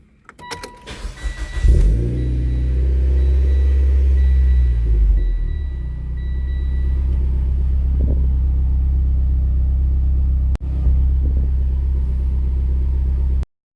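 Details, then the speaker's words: Mitsubishi Evo X after a DW300C 340LPH fuel pump upgrade, second start: a brief crank and quick catch, then a smooth, steady low idle with no stumbles or ticking. It starts and idles healthy. "Turn it off. Let's start it again. It starts up the second time."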